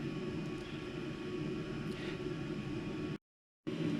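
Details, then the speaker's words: Eberspächer Airtronic D2 diesel heater after service and repair, now in power mode at 100% output: even, steady fan and burner whoosh with no popping, surging or misfire, no more exhaust smoke, burn-off complete; normal full-power running. "it's 100 everything looks fine normal the unit is working there's absolutely no more smoke coming out of exhaust everything sounds fine the burning brush process sounds like it's complete"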